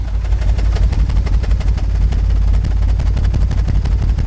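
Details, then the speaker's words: $500 auction Audi A6 quattro V6 idling, heard at the tailpipe: the idle pulses unevenly with dropped beats and irregular chuffing, several cylinders misfiring; codes include P0303 (cylinder 3 misfire). "I think that's a few cylinders short of a V6 everybody not great"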